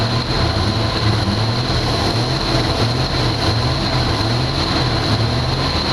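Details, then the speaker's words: 1982 Jeep Cherokee six-cylinder, not run in years: engine held at raised revs with a steady drone but slight unevenness, better when revved. Rough running from fuel delivery problem; owner suspects a holed line or bad fuel pump, plans an inline electric pump. "All right, sounds a lot better now that I revved it up, but we still have a problem with fuel delivery."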